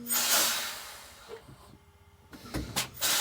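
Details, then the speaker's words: Detroit Diesel 6V92 truck with brake problems after air lines swapped, park brake off, pedal pumped; sharp bursts of air hiss with quiet gaps as brake chambers apply and release. Normal air brake actuation. "let's see what they do see if something's correct I hear something moving sounds like they're doing something"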